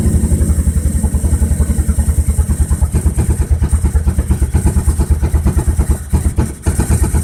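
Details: B21FT engine on Microsquirt: uneven, lumpy idle with a pulsing beat around two per second that stumbles and dips at times; rough idle, cause unknown.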